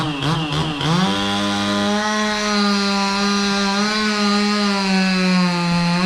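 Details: Stihl 026 two-stroke chainsaw cutting pecan in snow: steady buzzing run with a slight stumble on first pickup; idles down slowly and throttles up a little sluggish at the start; owner questions the tune, cause unknown.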